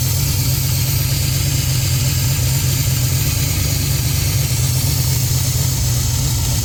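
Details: 1967 Chevy Nova small-block Chevy with FiTech EFI, first start after cleaning the injectors following fuel flooding into the oil: deep, steady rumble at an even idle with no stumbles, ticks or knocks; engine sounds healthy.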